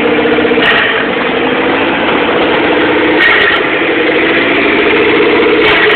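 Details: 1997 GST (DSM) with EVO III 16g turbo, no downpipe, FIAV bypass plate, EGR blocked off, vapor canister and vacuum lines removed: petrol idle surging, pitch stepping up and down every two to three seconds; cause unknown.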